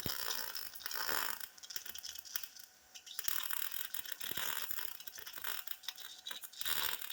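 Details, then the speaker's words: Welding universal motor mounts on a 1958 Ford Fairlane: crackling arc drops out and sputters unevenly instead of a smooth sizzle; flutter from paint contamination left on the metal. "you hear that flutter in there that's contamination i still got a little paint on that side right there i didn't quite get it all off"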